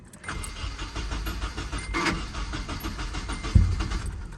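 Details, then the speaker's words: Nissan 240SX unused for about 3 months, right after fuel injector replacement and fuel pump priming: lumpy uneven idle with stumbles just after startup, still misfiring hard; one injector later came around as it warmed up. "hold on looks like we're still missing pretty hard"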